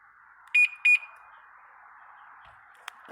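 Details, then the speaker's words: Sundiro Honda CBF125T motorcycle, remote alarm answering the key fob: two short, sharp high chirps about a third of a second apart, then quiet; normal remote alarm beeps. "然后钥匙是真的长，这个是遥控开关，给大家听一下。"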